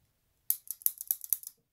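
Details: SRAM XO1 trigger shifter after a DIY repair: a quick run of about eight crisp, light, evenly spaced clicks in a second; indexing properly.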